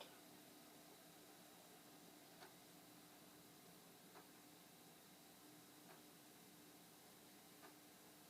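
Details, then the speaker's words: Dirty Commodore 1541 disk drive found in a basement, formatting a blank disk during the performance test: a soft steady whir with a faint tick about every two seconds as the head steps; it sounds remarkably good and healthy. "It sounds good. Remarkably good."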